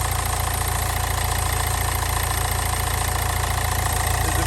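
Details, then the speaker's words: Low-mileage Nissan Juke bought cheap with a flat battery, reportedly lacking power and with parts hanging loose: steady low idle with an even pulse around 3.5 beats a second, no misses or knocks. "but you know it sounds all right it really does sound right"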